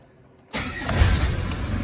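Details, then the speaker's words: 1990 Land Rover Defender 200Tdi diesel, 174,000 miles, started indoors after the glow plug light goes on and off: it fires right up with no warning lights, then settles into a steady, even diesel clatter with no misses, and no smoke. Healthy cold start. "fires right up no warning lights fuel lights working temperature gauge is working clock is even working engines running nice and smooth"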